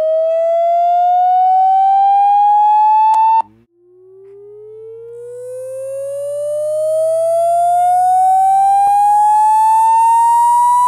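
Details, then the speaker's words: Google Pixel 2 XL loudspeaker playing a frequency-sweep test tone: sound turns raspy and buzzy around 700–900 Hz; owner hypothesizes possible water exposure as a cause, not confirmed. "I was able to kind of narrow it down to you a specific area ended up being around that 700 to 900 area they kept lowering the peak frequency down lower and lower and lower and finding out where it started buzzing more"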